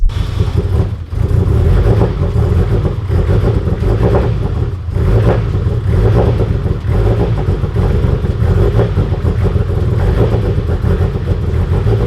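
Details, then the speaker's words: Mitsubishi Evo X, fuel pump upgrade pending; owner expects it to run poorly, spitting fuel out the exhaust; idle stumbles and surges unevenly, likely far too rich, rough running. "it's not gonna run all that good it's gonna be spitting fuel out the exhaust it runs it might run enough to move it"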